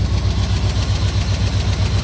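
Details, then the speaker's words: Traded truck that ran poorly and threw a crank position sensor code, before sensor replacement: it starts a little hard, then a low, lumpy idle with uneven thumps and visible shaking. Rough idle from a failing crank position sensor. "It runs right now, just it should run a lot better than it does. Nope. And it starts a little hard there too, as you could probably hear."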